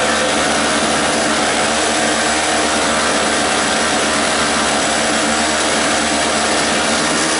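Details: 2-cycle 900 W generator, bought cheap, started on choke with starting fluid, leaking fuel: steady high-pitched buzzing two-stroke drone holding even speed without surging or misfiring; normal running.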